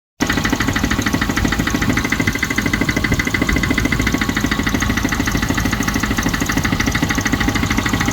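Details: Range Rover Classic 3.5 V8 at idle: a fast, steady ticking knock over the engine note. It is unclear whether this is engine knock or tappets.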